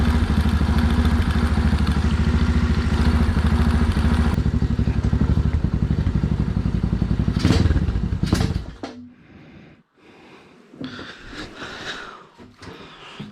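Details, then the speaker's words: Small engine on a 607 lb tractor project after a carb jet change to a 17.5 slow jet: steady fast low thumping at high speed for eight seconds, then it dies; it won't idle below 3,000 rpm. "does not want to idle still below 3 000."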